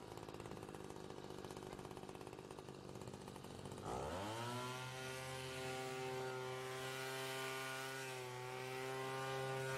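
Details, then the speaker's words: Troy-Bilt TB2MB trimmer after a short block replacement: buzzy rattle at idle, then a steady high-pitched rev with a scraping undertone; rubbing from the cracked housing, which lacked enough fasteners. "you can hear it at the end of the video but uh still the rubbing right here the this is remember it just didn't have enough Fasteners"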